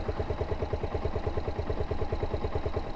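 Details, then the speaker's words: Suzuki SZR 150 single-cylinder engine idling after repair of a stretched timing chain that had made it noisy on first start. Steady low idle of about three even pulses a second with no rattle or ticking; sounds healthy. "na sa pandinig ko yung tunog ng makina. Kaya hindi na siya nakakairitang pakinggan."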